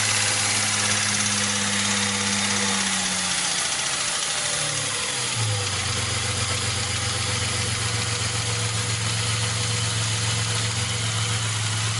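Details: Opel Omega B engine idling with a rev and settle; a faint fast ticking knock runs under the hum, cause not identified from the sound, engine knock.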